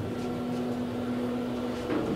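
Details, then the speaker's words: Kone EcoDisc elevator, recorded inside the cab. Steady low hum with a constant tone and a faint rattly texture; a noisy fan with something rattling in it. "someone's got a noisy fan you can hear the Chan something's rattling in there"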